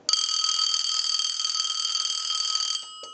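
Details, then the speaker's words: Bell South clear Lucite Trimline telephone on a line analyzer, normal ring cycle: one shrill electronic ring under three seconds, then the phone seizes the analyzer and goes silent. Ringer cuts out after the first ring. "it'll ring once or twice it'll seize the analyzer and then it will no longer ring"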